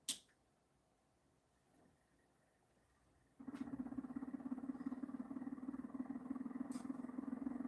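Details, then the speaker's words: Pulse motor generator with trigger strands and 28 gauge strands hooked to a bridge rectifier; after switch-on, a buzzy chirp near 250 Hz pulses three to four times a second as the coil fires steadily. "Every time it chirps, those 28 gauge strands get a boost, get a pulse, you know, they get more electricity, amperage, and voltage than they would if they weren't in those coils."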